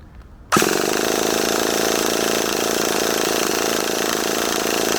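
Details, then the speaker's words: HPI Savage 21 nitro RC truck, primed, in cold weather: a steady buzzing crank with only faint pops and no catch. It turns over but won't fire; the owner suspects a blockage. "it's trying is it it is trying it's just not quite getting there you can hear it popping a little bit maybe we've got a little bit of a blockage"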